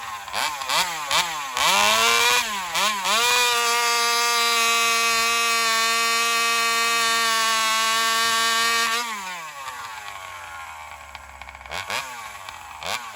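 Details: Alcohol-fuelled chainsaw in a long cut, high-speed adjustment fully out: revs blip, then a long, thin, high scream that leans out through the cut. It is starving for fuel under load; a bigger fuel line or metering lever adjustment is planned.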